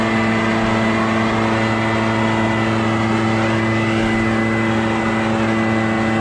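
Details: Barn-find Echo PB650 backpack blower on fresh gas after years stored, clearing a shingle roof: steady high-revving two-stroke drone holding even pitch throughout, no surging or misfire; normal running under load.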